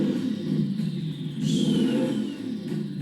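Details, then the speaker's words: Turbocharged 1000 hp mini Ford Raptor build, first run on new tune: lumpy, unsteady, funky idle with turbo whistle rising and falling; cause of rough idle not identified. "Idle's a bit funky, but dude, it sounds so sick. The turbo sounds so good."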